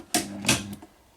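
Two sharp clunks about a third of a second apart, then quiet, with no buzz or arcing: the transfer switch is changing over cleanly.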